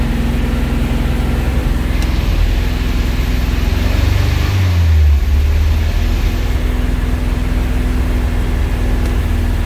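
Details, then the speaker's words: 1971 Alfa Romeo 1750 GTV with manual transmission, engine cold: a fast, steady idle with a brief dip midway, otherwise smooth; a raised cold idle that dropped over time and may need adjustment. "it's running relatively smooth idle was a little bit high because the engine was cold but uh it it will need to be maybe adjusted because it we did leave it for a while it did drop"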